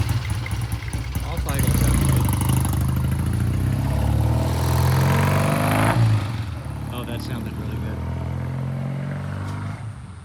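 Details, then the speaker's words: 1966 Triumph T120 twin, third test after turning the pilot jet adjuster all the way in then out 1.5 turns: steady, even idle with a clean, crisp pickup off idle and no spitting or stumbling; carburettors running right. "I just went ahead and turned the pilot adjuster all the way in and then out 1.5 turns, which is our normal starting point when we first start these bikes. Idle sounds good."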